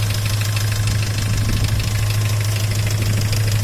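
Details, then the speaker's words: Great Wall Pegasus petrol engine at idle: a loose, uneven ringing knock about three a second. It persists after replacing the hydraulic lifters; a stethoscope places it at the oil pump drive, and the owner hopes it isn't the camshaft. "Работа двигателя такая. Думал, гидрокомпенсаторы поменял, ничего не изменилось. Но прослушал эндоскопом, приставил на привод масляного насоса, скажем там, и отсюда идет звонкий звук."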